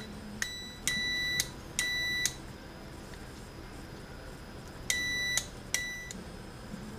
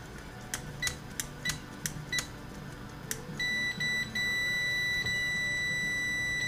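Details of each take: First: Airline 62-306 Teledial radio on/off switch and volume control: final continuity check after cleaning the contacts, before reassembly. Four short, clean high beeps in two pairs with no dropout; the switch contacts close normally. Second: After checking the DC resistance of the On/Off Switch & Volume Control, I see an intermittent issue that needs attention.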